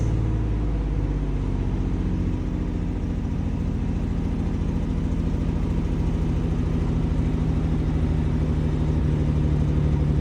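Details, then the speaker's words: Abandoned 1951 Dodge six-cylinder, first start after fitting a new fuel pump and battery: settles into an even, low, steady idle with no knocks or misses; normal idle. "Will it idle? Oh my god, it idles. Oh my god, shit's idling. It's fucking sitting here running."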